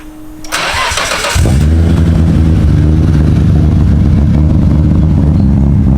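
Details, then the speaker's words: 1990 Nissan Skyline R32 GT-R RB26 that began running worse after a highway pull: fuel pump hum, brief cranking, then rough uneven misfiring idle; old ignition suspected, compression and leak-down testing planned. "Misfiring, you can hear it. It's cut down."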